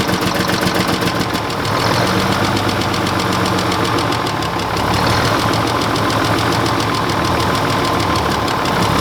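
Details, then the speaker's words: Mack truck diesel just started after injector bleeding, jump-started from two batteries: loud clatter with an uneven lumpy beat about four a second. Number six cylinder gets no fuel from the injection pump, so it's dead. "the reason it's run like crap it's number six he doesn't have any fuel coming out of right here"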